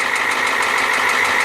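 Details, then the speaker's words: 1994 Ford F350, 7.3L IDI diesel, nearly 25 years old, glow plugs just replaced, idling: a loud, rapid, metallic bang-bang knock from the bottom end. The shop suspects a cracked piston or bad rings; the engine also has severe blowby and leaks oil. "a loud knock and banging noise especially here at coming up in the bottom and"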